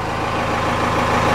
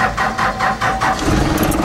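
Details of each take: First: 4BT Cummins diesel with a starting issue, restarted after shutting off: steady even idle with smooth low rumble, no misses or knocks, starts super fast; owner considering lift pump and injectors. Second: 4BT Cummins diesel with starting issues, recently primed: slow uneven cranking for about a second, then catches into a rough, unsteady idle; hard start, cause not confirmed.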